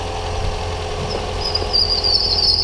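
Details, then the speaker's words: 2009 Toyota Corolla 1.8 just started after water pump replacement, coolant still bleeding: steady idle with a high, thin squeal rising in strength, the loose serpentine/fan belt slipping and still needing tightening. "that squeal? That's because the fan belt's still a little loose. So the fan belt still needs to be tightened down just a little bit."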